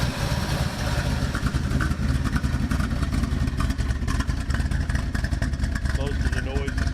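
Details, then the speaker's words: 1976 Ford Ranchero 500 V8 at lumpy idle, heard from underneath. The exhaust slip joint, redone with 4-inch band clamps, still leaks, adding a sharp puffing tick on each beat. Exhaust leak at clamped pipe joint. "I had some band clamps, I just 4-inch, and they still leak. I mean, we'll fire her up. She'll fire right up."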